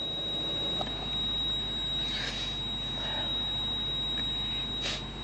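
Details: Thin high-pitched continuous tone in a quiet cabin of a 170-series Toyota Crown Majesta (1UZ-FE V8) as the scan tool finds the ABS fault; ABS warning buzzer, low pump and accumulator pressure.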